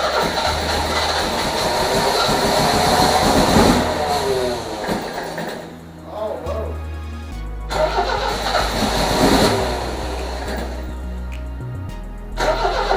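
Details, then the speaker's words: 1978 MGB after wiring harness replacement: repeated cranking bursts that catch briefly, sputter and pop, then die; never runs on its own. Owner suspects plug wires are backwards, with cylinders three and four swapped. "oh are all backwards cranks but it sits there and sputters and it pops it sounds like we got plug wires that's all backwards"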